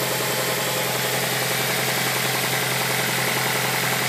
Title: Mazda 6 engine knock